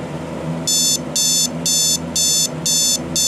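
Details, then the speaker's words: Alarm clock with the beeper on the bottom, alarm just set: short bursts of rapid high-pitched beeping, about two bursts a second, steady and even, a normal alarm sounding, silenced with the snooze button. "turn the alarm on it'll probably go off in like two seconds"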